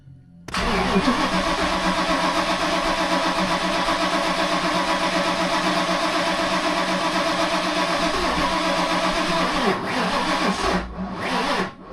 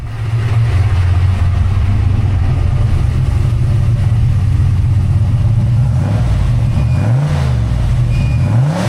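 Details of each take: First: Freshly rebuilt 363 V8 with a new Holley Smart Coil, cam sync and crank trigger on Terminator X EFI, first start: runs rough and lumpy at a fast idle; owner suspects the timing or crank trigger setup, possibly 180° out. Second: Fresh rebuilt 363 V8 (new Diamond pistons after melted pistons) with Holley Smart Coil ignition and Terminator X EFI, idling stationary after first start, air-fuel leaning out; deep steady burble with a few light blips, no ticking, knocking or leaks; normal idle.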